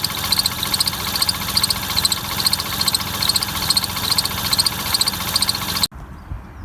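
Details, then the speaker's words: Lexus IS250 with freshly installed replacement engine, first start: idle with fast fairly even ticking chatter about twice per second over the hum; bent crank pulley wobbling. "so as seen, we have an issue with that crank pulley, and it's actually the crank pulley that's bent."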